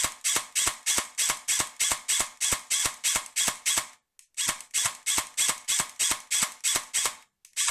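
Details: Colt M4A1 airsoft AEG in single-shot mode: dry clicks about three a second, no firing cycle; full auto shot then back to semi often restores it; MOSFET, motor, connectors, gears, shimming, trigger contacts, anti-reversal latch already tried; cause unknown.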